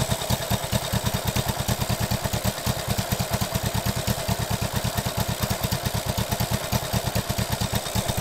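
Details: 1967 Honda CB77 Super Hawk twin after cylinder head gasket oil-leak repair and restoration, carbs not yet tuned, humid morning: even, steady thumping idle, no knocks or misses; running fine.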